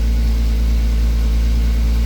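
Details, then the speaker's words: Toyota 2JZ VVTi turbo swap after first start, warm idle at about 85 °C coolant, burning residue off the manifold, no oil or coolant leaks: deep even idle rumble, steady beat, no knocks, ticks or misfires; healthy. "It runs. There is no oil leaks, no coolant leaks so far. It's pretty much up to temp, about 85 degrees Celsius for the coolant temp."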